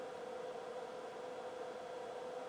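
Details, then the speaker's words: Sansui 9090 receiver, 1970s, low hours, powered on with speaker A selected: a quiet steady hiss with a faint constant hum; it sounds like distortion on the left channel, possibly from a dirty control pot. "there's our tone sounds like we got a distortion on the left I don't know"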